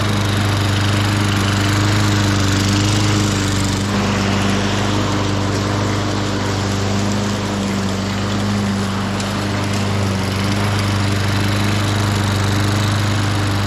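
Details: 1998 Ariens 21" self-propelled mower with VLV60 single-cylinder engine running steady and even at constant speed, no misses or knocks; sounds healthy, started to show drive operation after replacing a spring on a slipping drive.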